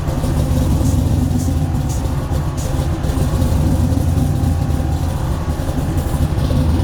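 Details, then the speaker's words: Supercharged 5.3 LS V8 with LSA blower, sloppy stage 2 cam, stock 2003 Silverado PCM, in a roughly 1972 C10 on air ride, before tuning: loud lumpy idle that chops and hunts up and down, never settling; idle hunting from a bad tune. "you can hear how bad it chops and how bad the tune is i was trying to sit here and hunt for an idle going up and down up and down chasing itself"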